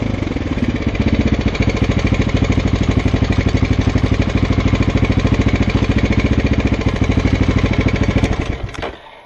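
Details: Husqvarna SM 610 single (2006, 18,000 km) at idle: sharp, hard metallic knock rides on every firing beat, steady until the engine is shut off; engine knock.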